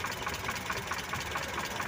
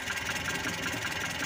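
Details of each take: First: Mitsubishi Colt T120 engine idling while the distributor timing is set: a light, even idle with a soft regular tick and no misfire or stumble; it sounds settled and healthy. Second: Mitsubishi Colt T120 used for hauling sand and farm produce, engine running at idle while the distributor is adjusted: turned too far left, idle is steady and light with soft regular exhaust popping but lacks power for loads. Ignition timing is retarded.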